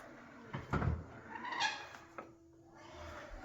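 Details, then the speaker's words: Samsung fridge door hinge before oiling: short creaky squeal as door swings open; dry hinge, smooth and quiet after a couple drops of oil. "Okay, so I'm having a little issue in the fridge. You can hear it there."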